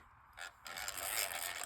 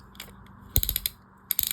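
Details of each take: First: Catalina No 804 / Jorgenson Z-12 spinning reel before service: dry, raspy chatter as the handle turns, from the bushing rather than the gears; relubrication expected to fix it. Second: Catalina No 804 spinning reel after disassembly, cleaning, lubrication and shimming, anti-reverse engaged: crisp, even ratcheting clicks with each handle turn, none skipped or gritty; normal anti-reverse.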